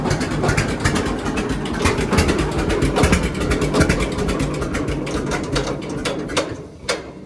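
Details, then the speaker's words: John Deere D two-cylinder tractor idling on new Autolite plugs before gapping them to the 0.030 in factory spec: slow, stumbling beats with missed pulses. Misfire at idle, blamed on plug gap; D's never idle perfectly. "So you can see there how it kind of ran. Not perfect, but the the D's are never known to run good or perfect at idle."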